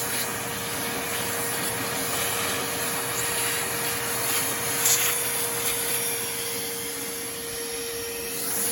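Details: Porter Cable 4 gallon shop vac found in the trash, after repair and cleaning, switched on with no suction load: steady high-pitched motor whine with constant airflow rush, no grinding or rattle; healthy motor.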